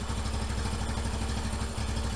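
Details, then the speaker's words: 1989 Yamaha Moto 4 YFM350ER after head repair, first start, with something that was sticking freed by working the drain screw. Started right up on choke, then choke off: quick, even single-cylinder idle with no misses or clatter. "Oh baby! Started right up! I got the choke off. I'm just gonna let it idle for a little bit."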